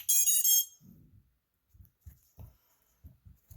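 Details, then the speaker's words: 7-inch FPV quad (TBS Source One, Spedix GS45 45A ESCs, GEPRC 2306 1600kv motors) after crash repair with wires soldered to pads, plugged into 4S: quick rising chime of high beeps then handling thumps; normal ESC startup. "Sounds like everything's started up. I do have the transmitter on. We got connection."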